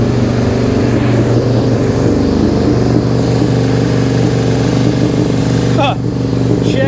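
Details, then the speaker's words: 2001 Suzuki SV650S with choke applied and starting fluid tried: steady, lopsided low drone with no clean twin beat, running on the front cylinder only; fuel pulled past the needle is overfuelling and drowning the other cylinder, carbs to be pulled. "I think it's getting too much gas look at this it is pulling it right past the needle I don't know if you can see that or not you see that holy smokes it's it's overfueling it's drowning that cylinder out"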